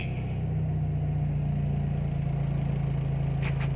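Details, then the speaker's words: Timor DOHC engine, warm idle with AC compressor load on: rpm rises slightly to around 1000 then settles near 900, even low thrum with no hunting or misfire; normal idle. "Hai normalnya pada saat Asean RPM makan sedikit naik ke di sekitaran 1000/2000 lebih sedikit lalu setelah Seoul station dia ke Pak peranakan turun ia mendekati di 900"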